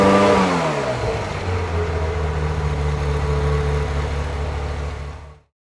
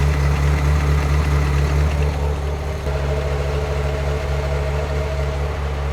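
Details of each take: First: 1994 Euro-spec Ferrari F355 GTS, 80,000 miles, Capristo exhaust and high-flow cats, revved to 3,000 rpm for the higher emissions test: brief rev then steady, even running that clears out with no misses or stumble; runs rich at idle. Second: 1994 Euro-spec Ferrari F355 GTS, 80,000 miles, Capristo exhaust and high-flow cats: warm V8 idle rumbles, wavers and stumbles unevenly rather than holding steady; running rich.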